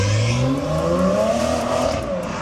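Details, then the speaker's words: 2021 Toyota Supra imported from Japan, first drive after salvage rebuild: loud raspy straight-six pulls cleanly through the revs with deep burbling exhaust, smooth and even; sounds like a modded 140, normal engine revving. "And it sounds absolutely nuts. Sounds like a modded 140. Yeah. Yeah, it sounds crazy."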